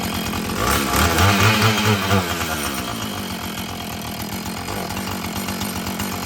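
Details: Husqvarna 445 chainsaw that had bogged when throttled, after cleaning and tune-up: it revs up cleanly without hesitation, then settles to a steady, even idle; it picks up and runs well, though the carburetor diaphragm may need later adjustment.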